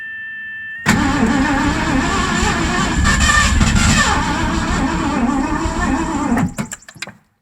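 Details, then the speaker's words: 1984 Mazda RX-7 with swapped Ford V8, sat 8-9 months: steady cranking with uneven catches and a sharp pop, backfiring out the carburetor while timing is adjusted; ignition still weak. "So, we're getting somewhere. Backfiring out the carburetor."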